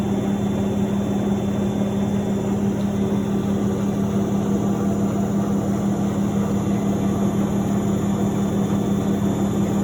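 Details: Miele W1113 washing machine: loud steady low drone with faint pulse about twice a second, unchanging; cause not evident.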